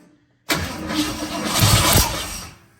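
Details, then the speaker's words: 1953 Ford F100 with 351W V8 and newly programmed FiTech EFI, first start attempt after priming and adding gas: two seconds of steady cranking with ragged, uneven firing that never catches; spark is now confirmed but it won't start, cause not yet known. "all right we got Spark that's more than we had go ahead try it again [Music] that's close it definitely sparking"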